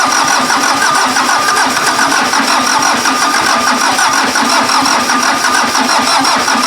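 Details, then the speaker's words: VW diesel (Mazda offroad build): repeated sluggish cranking pulses about four or five a second, never catching; starter sounds weak and slow, owner expects to replace the starter after the long cranking sessions. "I've already pretty much accepted the fact that I'm buying a new starter hence the torture"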